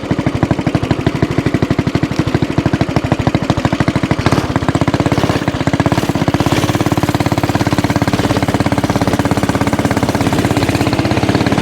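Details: Axis/Coleman M200 mini bike, 196cc single, tuned 22mm Mikuni carb with needle raised, exhaust, governor delete, flat out at about 31 mph GPS max: fast steady firing stops climbing at the top; owner suspects stock valve springs floating.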